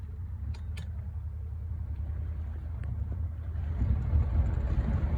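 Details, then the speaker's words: Outboard on a sunk boat, first run after rebuild: a low, uneven rumble that stumbles and surges under way, sputtering; the owner suspects bad gas, unconfirmed. "All right, first time taking this bird out. Whoa. She's definitely sputtering a little bit."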